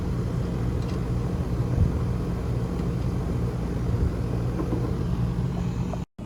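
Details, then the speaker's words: 2011 Rheem R-410A condensing unit after patching the squirrel-chewed thermostat wire: even, deep rumble holding steady with no surging, rattles or squeals; unit up and running normally. "Okay, it's up and running. I patched the thermostat wire and pushed the 4 wire nuts under the house."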